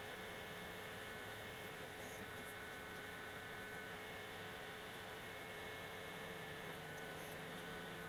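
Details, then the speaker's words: Modena portable induction cooker on automatic hotpot program at maximum power, boiling a cup of water in about 2 min 25 s: quiet constant fan whir, faint steady hum, no rattles or surging; normal operation at full power. "ini saya akan coba menggunakan program otomatis hotpotnya ya karena yang saya tahu sewaktu diperagakan ini adalah ee program di mana ee tingkat daya itu yang paling maksimal"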